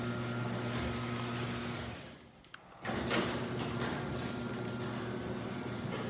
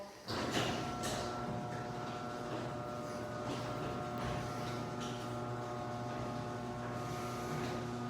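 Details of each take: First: Chain-drive garage door opener before its rail is lubricated: constant rattling drone, then a pause and a louder resumption. The door itself is quiet; the noisy opener is blamed on the dry rail needing lubrication. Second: Garage door opener closing after lubrication: low, even motor hum with a steady drive whir, no squeals or clunks. It used to be really loud and annoying and is now unbelievably quiet.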